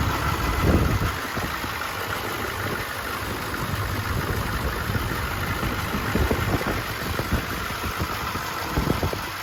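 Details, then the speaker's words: 1991 V3500 dually diesel, lifelong Michigan truck with low miles: steady low diesel clatter at idle with even beat and no odd knocks; healthy idle. "And just listen to that diesel purr."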